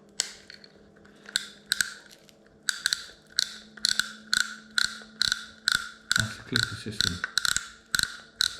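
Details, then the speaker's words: Old Penn Long Beach 65 fishing reel, probably about 30 years old, shown beside a Daiwa Sealine reel: sharp, loud ratchet clicks in uneven bursts of about two per second as the spool turns; healthy clicker. "it the clicker on this one is so good it's so loud"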